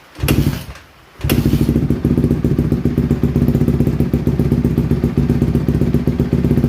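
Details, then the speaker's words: 2007 Honda CRF150R single-cylinder dirt bike after reassembly, choke off: brief stumble, then a steady, even thump with no misses; runs well once warm, though the carburetor still needs fine tuning. "no it don't want no choke it's just cold right now once it warms up it runs really good"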